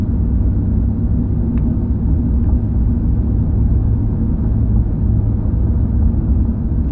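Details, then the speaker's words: 2005 Chevrolet Silverado 2500HD test drive after replacing the steering column bearing (intermediate shaft swap earlier hadn't fixed it): steady road rumble over spots that used to rattle, no column rattle or clunk; fixed after about 10 years. "There's no more rattling in the steering column of my truck, which I've been dealing with for around 10 years or so."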